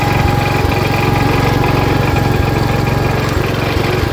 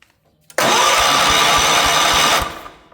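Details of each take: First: 1977 Wheel Horse B-100 garden tractor, single-cylinder, driving in high range first gear with the battery charging: a steady, even thump at about three beats a second under load. The engine is running healthy despite a questionable carburetor. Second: 1977 Wheel Horse B-100 tractor, fresh battery: starter spins the engine at about five even compression pulses a second without firing; spark present earlier but now lost, no spark.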